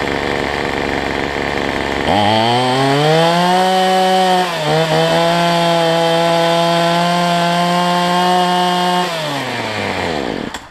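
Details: Cheap two-stroke weedeater number 2 on a new $6 replacement carb, air filter off, smoking after running a while: jumps from idle to a high buzzing rev, dips briefly, holds steady, then falls back while the carb is tuned.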